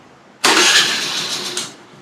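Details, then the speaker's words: Honda Dio scooter electric start after replacing a blown 10 A fuse (wiring to be checked): sharp starter whirr catches at once into an even running note with no stumble or grind; starting problem solved. "तो mechanic भाइयों, जैसे कि आपने देखा कि fuse change करने के बाद हमारी गाड़ी स्टार्ट हो रही है अच्छे से और हमारा प्रॉब्लम सॉल्व हो चुका है।"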